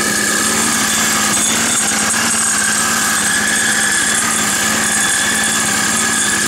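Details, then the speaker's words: Roadside-salvaged Nautac mower with Quantum XM single-cylinder engine in poor condition, pull-started: buzzes at steady speed with slightly uneven, ragged beat, running rough but keeps going; runs surprisingly well, warms a little. "ça démarre ça tourne mal mais bon ouais ça va l'air d'aller bien étonnant"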